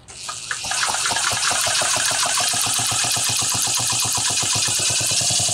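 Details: Homelite Super XL chainsaw: uneven two-stroke buzz pulsing about four beats a second, stumbling under hiss, can't reach full rpm without stutter/cut-out; weak spark traced to a failing ignition condenser, plug spark looked fine.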